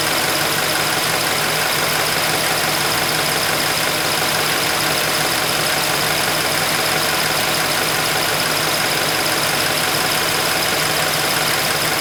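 Idling petrol engine with a quick, bright chirping tick about three times a second from the high-pressure fuel pump. Cause suspected, not confirmed.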